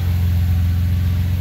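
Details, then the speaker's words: Car engine idling after being pulled, repaired and reinstalled: deep, smooth, even idle with a steady low hum and no knocks or rattles; the car sounds good. "but the car sounds good it's just I'm so excited"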